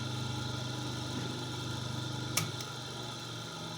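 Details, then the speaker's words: Homemade grinding/sanding machine built from an old Soviet bench grinder, 12 mm shaft: even, steady motor hum at constant speed with one brief contact click; runs far quieter than before and smoothly. "шумность давайте послушаем шумность Ну сравнение вообще никакого с тем что было"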